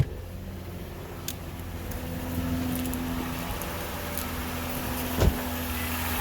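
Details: 2006 Lexus IS250 V6 right after first start following timing chain and water pump replacement, chain had stretched: smooth even idle, old rattling gone, slight misfire suspected.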